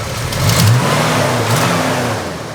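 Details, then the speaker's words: Classic car checked before purchase, engine warming up: picks up cleanly on a couple of revs and settles back smoothly, no knocks, misses or ticks; still sounds good as it gets temperature. "the motor's starting to get some temperature in it, and it still sounds good. It's running off and it sounds good."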